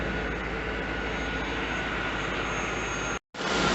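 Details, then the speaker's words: 1992-1996 Chevrolet Corvette C4 LT1 after power steering pump replacement: steady, even engine hum with no rising tone or whine as the wheel is turned, whereas it used to whine as soon as turned on; normal power steering pump. "no lights on and turn it no winding anymore i used to whine soon as i turned it on"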